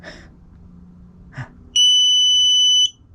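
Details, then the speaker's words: New QUCC 200A relay-type BMS after replacing the faulty one: soft click then a steady shrill beep about a second as the charging switch is turned off, after which it turns back on; working normally. "it now beeps and it turned back on"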